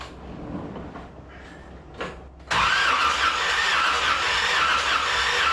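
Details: 1981 Corvette V8 just reinstalled, with new MSD plug wires and a new intake, heard from inside the car: the starter spins it with a steady whir and thin squeal but it never fires. Crank, no start, no ignition, because the distributor was left unplugged.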